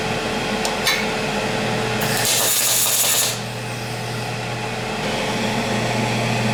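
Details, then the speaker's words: PrimeWeld MIG 285 with PW2500 spool gun welding thin aluminum, beginner setup: the arc crackles and pops irregularly instead of a steady buzz because the wire feeds too slowly, causing spatter; the fix is turning up the wire speed. "here that spatter turning up the wire speed a little bit is"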